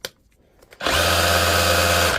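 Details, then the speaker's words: DeWalt DCH273 SDS rotary hammer after full repair and reassembly, on battery in ordinary drill mode; steady, smooth motor whirr for about a second with no hammer pounding, even pitch throughout, drill mode running normally. "You can hear the difference between ordinary drill mode and hammer."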